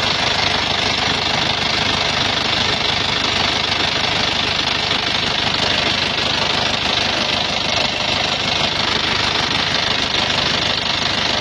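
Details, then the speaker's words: 2008 Isuzu Panther Grand Touring diesel with non-original machined-in cylinder liners and oil leaks: sharp rapid ticking, about three per second, over a harsh rough idle. Rough diesel ticking, cause not yet pinned down. "Ada suara tek tek tek tek tek, ada tek tek tek tek, banyak ini."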